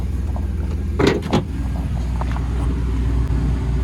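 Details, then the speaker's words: Copart-bought wrecked Chevrolet Blazer, started after fitting a battery: fires right up, great oil pressure, low even rumble at steady idle with a brief clunk early on. Normal idle. "We've put a battery in this now and I'll go ahead and fire it up for you. Fires right up. Great oil pressure. Runs very healthy."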